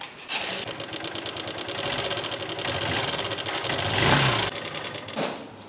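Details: Small bike or scooter engine at idle before an oil additive was added: a rapid, light ticking clatter at about three beats a second from inside the engine; cause unclear.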